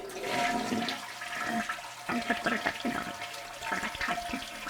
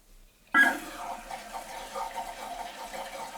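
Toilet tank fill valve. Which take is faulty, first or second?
first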